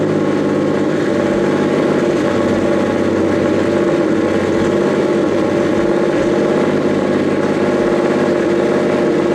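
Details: Nissan S15 after its issue was resolved: it fires right up with no hesitation and settles into a steady, even idle with a slight exhaust rasp. Normal idle; exhaust smoke has cleared, though a couple of leaks are audible under the car.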